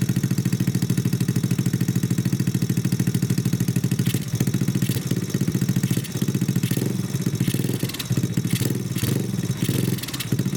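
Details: Honda Grom clone single-cylinder after valve adjustment, idle turned down: steady even low-idle putter, no knock or misfire; healthy idle, mixture still to be tuned, no air filter yet.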